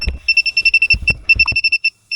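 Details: A/C refrigerant sniffer on highest sensitivity, probed at the expansion valve of a system that doesn't hold vacuum: sharp high beeps at about eight a second, a fast alarm. Refrigerant leak suspected at the expansion valve.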